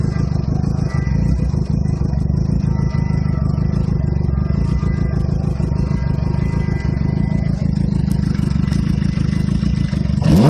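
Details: 2007 Suzuki GSX-R cold after sitting overnight: idles low and lumpy, the beat wavering and never rising to a proper fast idle, with a very rich exhaust smell. Cause unknown; a shop found nothing, and a light rev has brought it to normal idle.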